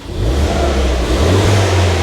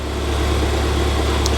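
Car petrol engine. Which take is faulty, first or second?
second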